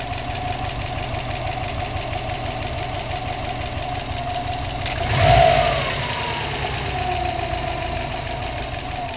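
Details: Subaru Bugeye WRX turbo flat-four idling with a fast, steady ticking over the engine, plus two brief rev blips; cause unknown.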